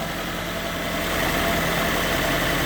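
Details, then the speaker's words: Infiniti G20, about 20 years old, after a temporary belt bypass of the compressor to cure a pulley whine: smooth, even idle with a steady hum and no whine; engine running quiet and healthy. "oh no more wine nice and quiet it should be good"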